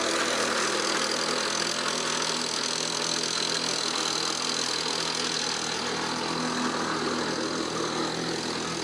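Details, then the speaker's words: 1977 Lawnboy two-stroke mower from a barn, after rebuild and new fuel line, primed and started: smooth, even buzz holding steady with no misses or surging; running healthy. "Let's see what it does. Ooh. Sure sounds like it wants to mow a lawn."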